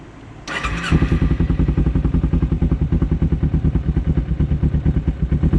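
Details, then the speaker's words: 2011 Kawasaki Ninja 250, carburetors cleaned and adjusted, not fully warmed but the same when warm. Runs at a fast steady pulse that won't settle after throttle release; revs drop very slowly or hang, and it sometimes dies. "The main issue is when I give throttle, it drops very slow, or it stays there."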